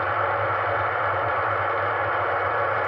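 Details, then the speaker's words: Heathkit HW-101 ham radio at low volume: a low steady AC hum on receive under faint hiss; owner suspects the external power supply capacitors, possibly also something in the radio. "I hear it on reive but only if my volume is really really low so I wonder maybe it could be in the radio too"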